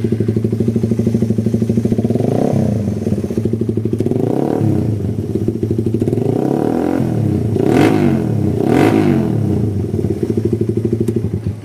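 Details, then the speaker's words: Suzuki Satria FU after service, stock vacuum carb with noisy exhaust; loud single-cylinder with rapid even exhaust beat, throttle blips, no knocks or rattles; engine now much smoother, normal running. "Untuk mesin sudah tambah halus. Untuk bunyi mesin sudah sangat halus ya."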